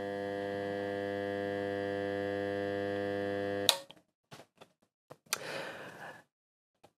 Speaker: so that is definitely unpleasant that definitely sounds like 100 htz noise which would be coming after the rectifier meaning we take a look inside we're going to find some leaky caps no surprises